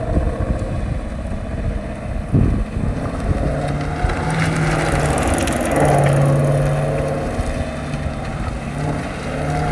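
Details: 2016 Ford Mustang GT350 rear axle making a constant light, uneven ticking, about three to four a second, while turning at any speed above 10 mph, heard inside under road and engine noise; cause never determined.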